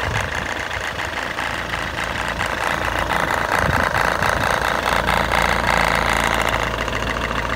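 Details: Fiat Albea 1.3 Multijet diesel at idle: sharp regular tapping knock about four times a second over the clatter; source not yet found.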